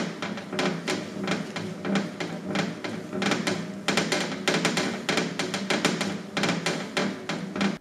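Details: Exercise bike or cross-trainer, camera microphone: irregular sharp plastic crackles and snaps with each pedal stroke from the housing halves working against each other; fix is loosening the screws joining the housing, especially near column and seat.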